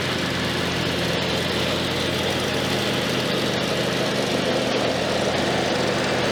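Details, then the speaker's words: Riding mower after a tree-root strike ripped out a blade spindle and cracks were welded: steady engine hum with faint intermittent scrapes as the blade catches the worn, badly damaged deck while spinning; the deck needs replacing. "It worked. I did hear the blade doing some self-clearancing under the deck. I could probably check that out and see what's going on under there, but really the deck needs to be entirely replaced at this point."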